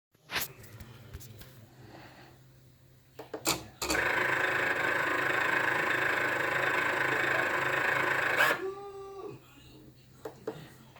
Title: Cricut explorer air grinding noise